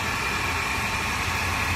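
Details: Mercedes-Benz C280 W204 six-cylinder at idle: steady idle with a constant high-pitched whine over the engine; noisy belt tensioner, traced to the third tensioner.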